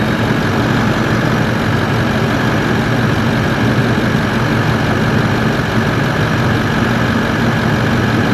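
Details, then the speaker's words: Toyota 1VD-FTV turbo diesel swapped into an 80 Series Landcruiser, first fire-up after an ECU adjustment, clutch fan engaged: a steady, even diesel clatter at idle with constant fan roar and no misses or knocks, a healthy idle. "oh that sounds awesome come on yeah"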